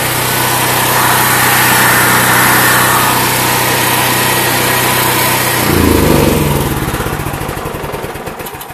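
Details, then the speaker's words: Predator 8750 and Duromax XP12000EH dual-fuel generators (Tonco dual-fuel carb, 1 lb low-pressure regulator) running on propane with no regulator valve adjustment: steady even drone holding speed cleanly, then winding down as gas is shut off; normal running. "I don't have to do any adjustment turning the vial up and down trying to regulate the pressure that is not the way you run a generator"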